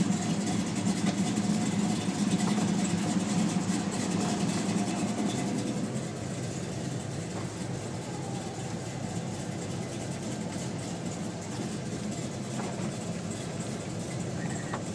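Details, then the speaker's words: 1972 Chevelle SS, 502ci RamJet fuel-injected V8 of over 500hp, 400 Turbo automatic, Flowmaster exhausts: a smooth, even idle with a steady low burble whose rhythm holds throughout, with no misses, knocks or ticks. Healthy idle. "In a couple of minutes I will start the car up, let you hear the engine, of course, like I usually do, and man, it just sounds great, and it idles perfectly, and again, being that it's fuel injected, it's just an overall nice car to drive."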